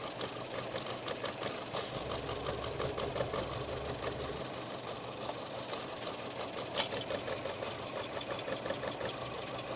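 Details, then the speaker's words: Chevrolet Cruze 1.4 turbo with a newly fitted turbo, reported not running right: uneven lumpy idle with an irregular ticking pulse, heavy blow-by seen; rough idle, owner suspects worn rings or a cracked piston. "looking at that level of blow by I'd say the Rings are stuffed or we got a cracked piston or something like that"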